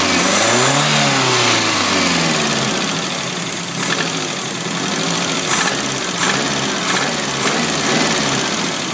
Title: Nissan z22 rod knock